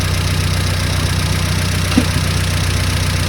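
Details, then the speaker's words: Engine idling during on-the-road tuning, now set back to baseline: steady low idle, even unhurried beat, no misses or knocks; sounds much better, settled and healthy. "sound better now is it sounds much better yeah right that's now basically line"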